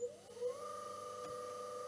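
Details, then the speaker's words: Myford lathe motor, resilient mounted induction motor, 1425 rpm, run directly on 50 Hz after oiling; quick spin-up to steady clean hum with faint whir, quite silent, mainly thanks to resilient mounting. "i will say that they are both quite silent silent mounted motors mainly because of this mounting here"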